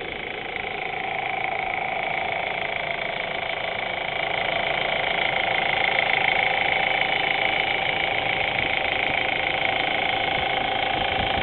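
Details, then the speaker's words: Audi A4 petrol engine at warm idle after about an hour of running, oil temperature above 200 degrees: light regular ticking about twice a second, heard only at idle; cause was a bad hydraulic timing chain tensioner at the back of the head. "all right here's the noise we get after driving for a while engine is nice and warm it's is running probably an hour or so"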